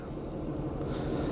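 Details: 2004 Acura TL 3.2 V6 with blinking check-engine light and P0300, cylinder 4 misfiring, cold and rainy: low, uneven idle with a stumble; swapping the coil moved the misfire, so the ignition coil failed and was replaced.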